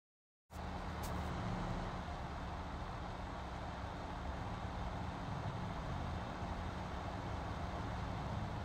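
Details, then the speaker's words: PC power supply after repair of grinding fan; smooth even rush of air, no grinding, ticking or bearing whine. Normal fan noise. "I cannot hear the fine noise just blowing air I can hear the air sucking in and coming out just a normal noise that comes with the pressure of the air but there's no more grinding noise anything like that"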